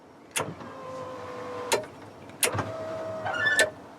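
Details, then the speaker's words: 1st-gen Toyota 4Runner rear tailgate window, added rear cargo-area switch wired to relay module pins 4 and 5: sharp relay clicks inside the module bracket short steady motor hums on each press. Normal power window and relay operation. "So the switch just has ground and then the two switch terminals inside the relay module. Let's see if I go here. This is up. And you can hear the relays clicking inside the module there."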